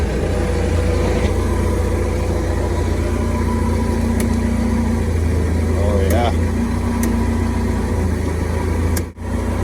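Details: At idle after a harness that rubbed on the frame and shorted was wrapped in marine fuel hose and the fuse refitted: low, steady, smooth idle rumble without misses or surges, voices in background; normal idle.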